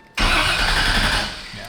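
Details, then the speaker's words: 1999 Porsche 911 swapped with a 5.3 L all-aluminum LS Chevy V8 and new clockable starter: the starter bites hard and spins the V8 fast and strong for about a second and a half; normal healthy cranking. "Woo! Yeah, that's better. That's a lot better. That's a good starter. That sounds cool."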